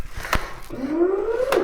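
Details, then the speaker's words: Ego electric mower, 4 years old, with an intermittent no-blade fault, after repair: the electric hum climbs smoothly as the blade spins up, no grinding or rattle; normal blade motor run. "moment of truth does the blade turn yay i'll try a different position blade work yep"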